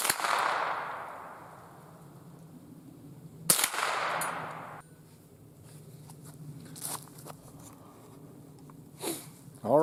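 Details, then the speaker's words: Remington 552 Speedmaster BDL .22 rifle with light rust on barrel and magazine tube, test-fired outdoors at a range on a cold frosty day before servicing; two sharp cracks about 3.5 seconds apart, steel targets ringing, no hang-ups, cycling normally. "seems to be working without a hitch smooth operation you know these 552 have always been very reliable if you keep them clean they're going to shoot"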